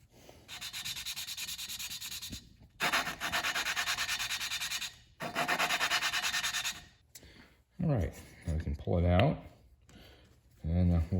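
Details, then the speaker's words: Subaru Legacy EJ25 cylinder head during teardown, valve lapped by hand with grinding compound and a suction cup. Rough, gritty back-and-forth scraping that gets much quieter as the valve beds into its seat. Valve lapping. "Now as you grind, you'll hear it change sound. There, see, it gets much quieter there."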